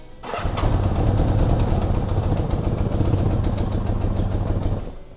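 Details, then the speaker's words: 1975 Honda Gold Wing after carburetor rebuild and spark plug change: starter churns the engine in a low, uneven chug for about five seconds without firing. Cranks but won't start; electrical and points unchecked, old varnish may remain in the fuel. "change his spk look and it doesn't run a couple of reasons for that I didn't check the electrical I didn't check the points and the old varnish was still in there"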